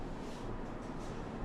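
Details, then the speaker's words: Two-pipe fan coil unit after its three-speed blower motor was rewired, fourth speed taped off, running at medium speed. Soft, even airflow hum with no rubbing, ticking or wobble; the blower sounds healthy. "All right, sounds good."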